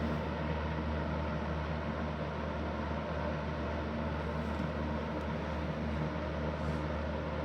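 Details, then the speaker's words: Restored Super Electric 14-inch box fan model 1475, bearings leaking: steady loud hum and constant motor whine over even airflow, loud on every speed, more noise than air; excessive fan motor noise. "This thing is quite loud, like in all levels. Like it's it puts out more noise than air."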